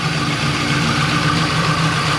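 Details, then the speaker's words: 1996 Impala SS with a swapped 6.0 LS, BTR Stage 4 cam and 3800 stall, running on a newly fitted Optima battery (old battery thought shot): steady, even V8 idle with a smooth low rumble. No knocks or misses; running good. "But got Optima in there. Seems to be running good."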